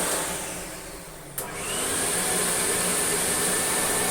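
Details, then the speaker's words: American Viking 507 vacuum (120 V, 60 Hz, 5 A) at its high speed setting: a steady high-pitched motor whine holding an even note with no rattles or surging. The motor runs normally and seems faster than the UK sibling's. "I would think that this would be pulling more airflow possibly than that when it seems to be running faster"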